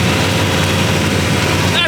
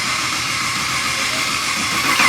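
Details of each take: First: LS3-style V8 swapped into an E46 BMW, first start-up after wiring: deep, loud, even idle with slight cam lope, no ticking or knocking; engine and exhaust sound healthy and tame. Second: LS V8 swapped into a BMW E46, first start attempt after wiring: steady, rhythmic starter churn around three and a half beats a second that never catches; engine cranks but won't fire.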